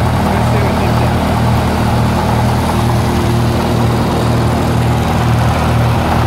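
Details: 1948 Lincoln SA-200 welder engine, long unused, revived with little work, with a short stack with resonator: a deep, steady low thrum with an even beat and no knocks, misses or rattles. Normal, quiet idle.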